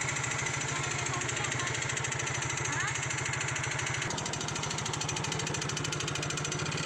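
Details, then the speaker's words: Yamaha Mio GT scooter: busy metallic rattle over idle from the rear engine/drive area, worst off throttle and at low rpm, fading at high rpm and gone in rain; source suspected gearbox or CVT, unconfirmed. "kletek ya kletek nya terdengar sekali temen-temen tekek pada saat lepas gas nge-tag ya pada saat hujan malah hilang"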